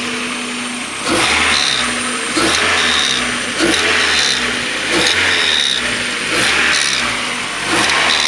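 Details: 1994 Mazda Miata M Edition, 130,000 miles, rear main seal oil leak: engine blipped, and each time revs drop a whirring rotating hiss rises; it seems to come from the back of the intake side of the head, owner now doubts the CAS.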